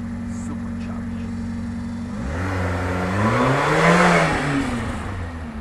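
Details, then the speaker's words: 1991 Subaru Sambar Dias2 AWD supercharged fuel-injected kei van, warmed up, driving near 4,000 rpm and about 50 mph: steady idle then clean rev rising and easing back with no knocks or misses; drives nicely, normal running. "going just keep it about 4,000 RPM and uh the transmission sorts it out everything for yourself and that's about 50 m hour so uh and it drives very nicely very nicely"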